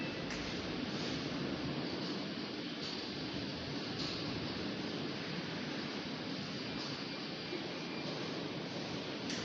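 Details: Samsung washing machine on spin: steady rushing with a soft thump about once a second as the drum visibly vibrates and wobbles; loose drum spin nut.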